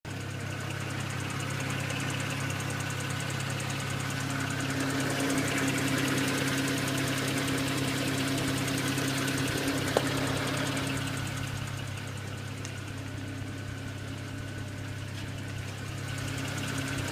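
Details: BMW 135i with N54 petrol turbo engine idling steadily with a light, regular ticking noise riding over the hum.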